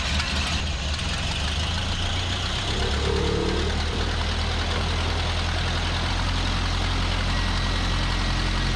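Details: 1929 Ford Model A Tudor sedan, converted to 12 volts, brought in for a battery draining during parades: low, even four-cylinder idle with a steady beat and no knocks or misses, running smoothly.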